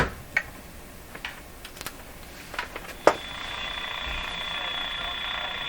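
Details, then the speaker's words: Canadian Westinghouse Model 512 tube radio after replacing old cracked wires, on broadcast band: irregular sharp clicks about every second, then steady hiss with faint tone; clicking interference, suggested external device as source, still unknown. "there was a suggestion that the interference I'm hearing the clicking type interference it's actually coming from this thing"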